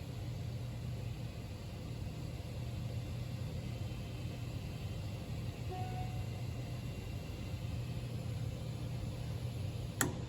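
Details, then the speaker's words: Standing pilot gas valve: steady gas flow after the pilot flame is blown out, then about 7 seconds later one sharp click as thermocouple current drops and the magnet releases, closing the pilot valve; normal safety shutoff. "there's that click and what just happened there ladies and gentlemen is the electrical charge slowly decreased and once enough current wasn't generated the magnet was released and it closed the pilot valve on the gas valve itself"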